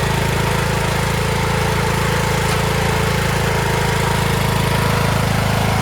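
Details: Craftsman T1600 (T600) 46" lawn tractor, Briggs 19hp single-cylinder, after cylinder head and head gasket replacement, mowing lawn: steady even drone, constant pulse, no knocks or misses; runs like new; normal running under load.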